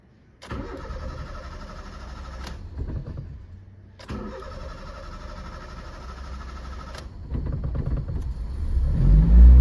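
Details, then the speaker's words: 2006 Honda Fit L13 automatic with inhibitor solenoid fault, throttle body cleaned at a shop and possibly out of tune: starter grinds through two long cranking spells before engine catches and revs; hard starting, cause suspected. "starting siya no maono tayo sa throttle body nito Kasi nilinis yung throttle body nito e sa shop kaya nawala sa tono"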